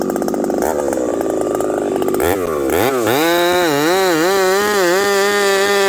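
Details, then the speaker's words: Husqvarna 371xp with new pop-up piston, 28-inch bar, hard wood, about 35 °C: runs great, then on an underbuck goes randomly lean, pitch surging, and will not return to idle; owner suspects dirt in carburetor. "then I do an underbuck the saw goes randomly lean and will not return back to idle um I don't know what the deal is maybe there's something going on with this carburetor"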